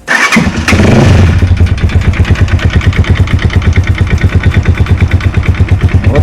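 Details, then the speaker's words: Lifan JR200 single-cylinder motorcycle, just over 9000 on the odometer, after a fall; engine idles with a sharp, regular knock about three times a second over the low thump. Abnormal knocking, cause suspected but not yet confirmed. "такой неприятный звук доносится из мотора Ну вот похоже и причина стуков сейчас сниму погляжу"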